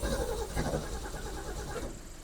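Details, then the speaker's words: Ford Falcon engine, carb bowl not prefilled: catches briefly, stumbles unevenly and dies within two seconds; stalling after start, fits fuel starvation with a dry carb bowl. "Okay. She needs She definitely needs some more of this here. Fresh go-go juice in her."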